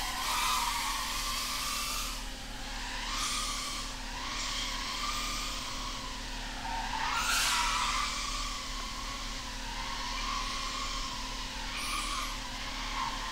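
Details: BetaFPV 85 Pro 2 whoop in flight after its flight controller gave only 3 beeps and would not finish powering up, fixed with an external Matek 5V micro BEC: steady high motor whine rising and falling smoothly with throttle, no stutter or dropouts; healthy motors.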